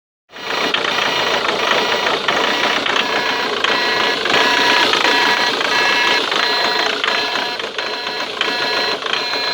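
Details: Ford Mondeo Mk3 TDCi diesel at idle: sharp, light ticking about four times a second from the injector area; unidentified ticking noise.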